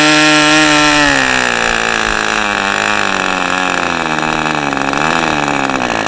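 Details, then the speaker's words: New-in-box OS 40 FP glow engine on a test stand, first run, idle settings believed factory, 11x5 prop, OS #8 plug, 5% castor/synthetic fuel; high buzz with sagging, wavering pitch, soft and blubbery low down; owner suspects a rich mixture. "If that was rich, then it needs to be laid out."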